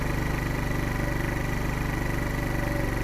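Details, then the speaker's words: Wolf Islander 50cc Vespa-replica scooter, cold on poor-quality gas, auto enricher still enriching the fuel: slightly fast, steady warm-up idle with an even beat and no knocks or rattles; normal cold running. "it kind of wait for the auto enricher to come off well you can smell it's enriching the fuel right now"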